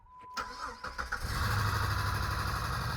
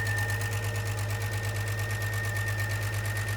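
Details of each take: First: Jeep with a 350 engine after the camshaft sensor was replaced, started in neutral. Brief quick cranking, catching around one second in, then a steady idle: normal start; it seems to need a muffler, and a ticking is noted. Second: Jeep with 350, first real run after camshaft sensor fix, no oil change yet, needs a muffler: steady idle with light, even tick from the top of the engine over low exhaust drone; oil check and change planned.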